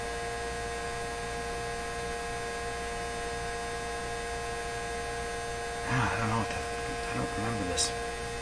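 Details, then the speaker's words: 1957 Chevy Model 561 car radio on bench, antenna pulled out, warming up: steady fixed-pitch buzz from its vibrator power supply heard through the speaker. "but i may not recognize the buzzy sound from the speaker versus the buzzy sound from the vibrator that makes it pretty apparent"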